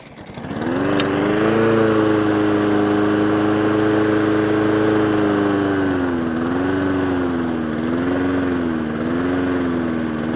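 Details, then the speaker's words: Old Mountfield mower with Honda engine after full service and throttle cable adjustment, running off choke: catches and settles into a steady hum, then the speed wavers slightly as it hunts; carburetor idle needs adjusting, may not be fully warm. "Bit of idle work on the carburetor needed."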